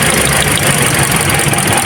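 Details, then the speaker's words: Toyota Altis shaking and low on power, during the coil-pull cylinder drop test: the idle drops into an uneven, shaking stumble when the coil is lifted. The strong change shows this cylinder and its coil fire properly. "So ayan nagbabago ano ibig sabihin buo magandang power niya. Ang tigas."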